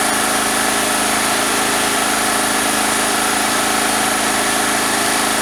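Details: Single-phase petrol generator that would not start, starter cord replaced, fuel and filter checked, pipe fitted on the exhaust: loud steady buzz at constant speed, no surging or misses; running normally.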